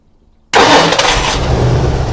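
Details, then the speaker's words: 1975 Ford Ranchero GT V8 with a hard-start and stumbling problem, restarted with the unplugged manifold vacuum port covered by a finger: after a half second of quiet it catches instantly and settles into a steady, even idle. "starts right up all right go ahead and cut it off so we don't die of asphyxiation"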